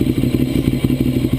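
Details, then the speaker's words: 2009 Ducati 848 after fuel pump hose repair, held at raised revs to check for fuel leaks: firm, even, lumpy beat with no misses or knocks; healthy and steady, no leaks seen. "so let's see if maybe if we build up some RPMs if we can uh get a leak to spring up here"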